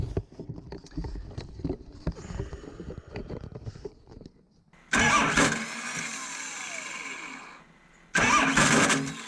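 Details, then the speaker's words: Starter on a 2004 Ford F-350 with a swapped 12-valve Cummins diesel, worsening over about two months: two harsh grinding bursts while cranking, engine not catching; starter failing, replaced with a 6.4 starter. "it's really it's bit the dust as of now and i'll uh i'll set this camera up over here and i'll get in there and start it and you can hear what it's doing it's uh it's making some very awful"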